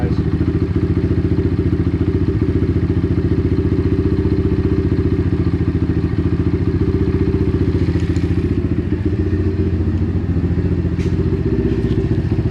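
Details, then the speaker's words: Apollo RFZ DBX18 125cc dirt bike with upgraded carburetor and quick-adjust screw: steady single-cylinder idle thump, speed lifting as the mixture screw is turned; set it between the points where rpm drops, at the highest idle. "if I starts dropping again from turning it down you went too far so just listen between those two points your highest rpm and you'll get the right setting"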